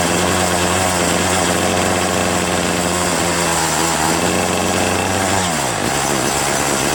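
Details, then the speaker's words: Troy-Bilt TB70SS 33cc two-stroke trimmer, unused three years, started on fresh gas-oil mix: high buzz holds then sags and drops in pitch at full throttle instead of climbing; bogging from carburettor high/low mixture needing adjustment. "Not bad, huh? It's on run and it's not stalling. However, when I do try to high throttle it, it does bog down."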